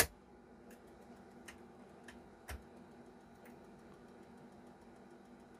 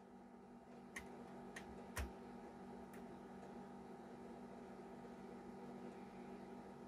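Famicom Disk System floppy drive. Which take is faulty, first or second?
first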